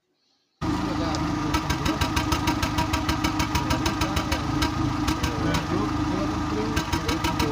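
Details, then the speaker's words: Seat Ibiza 1.4 petrol engine at idle: uneven stumble with sharp pops and backfire, running on three cylinders; diagnostics found cylinder four combustion fault from bad ignition coil number four; misfire. "We were able to hear the backfire perfectly."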